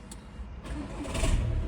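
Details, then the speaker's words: VW Golf at start-up, warm after being driven (owner reports worse when cold), complaint of strange noise on starting. Harsh sharp rattle rises over the engine as it catches; points to failing dual-mass flywheel, replaced. "이렇게 소리가 날카로운 소리가 납니다. 지금은 운행하고 오셔서 좀 덜 나는데 냉간시에는 더 난다고 그래서 지금 들어온 차량이에요."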